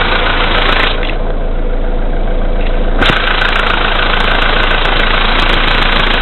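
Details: VW Polo Sedan CFNA engine, 2222 km, cold start at -5°C after sitting overnight, oil slightly below max, 98-octane fuel: idle knock about four per second that strengthens when headlights and glass heating add electrical load. Engine knock of unknown cause.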